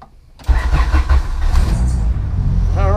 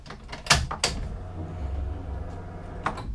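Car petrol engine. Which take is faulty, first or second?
second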